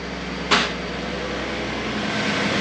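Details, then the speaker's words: 2012 Ford F150 after vacuum pump replacement (pump behind driver's side wheel well): single clack then smooth steady idle hum, previous growling gone; running clean. "Can't hear anything now. That is beautiful."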